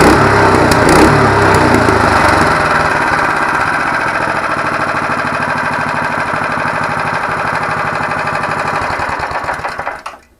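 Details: Small engine driving an ATV flail mower whose shaft was spun to 1700 rpm on a lathe: a drone with a regular throb of about three per second, then shutdown, from the out-of-balance flail shaft.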